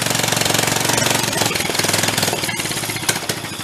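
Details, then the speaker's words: Homemade half-scale VW dune buggy on a Dingo go-kart frame with a free 13 hp pull-start engine, revved at first start: fast, uneven single-cylinder chatter with rattly clatter; clutch sprocket loose and misaligned, tires slightly out of balance. "running tires a little out of balance huh need to rev it up too much think our clutches up sounds like it got misaligned a little too"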